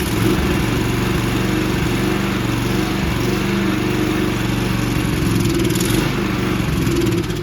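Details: Toro 20333 Recycler personal-pace push mower with Briggs and Stratton engine, after a quick carb bowl clean, holds a steady, fast buzz for several seconds without surging or dying; running normally.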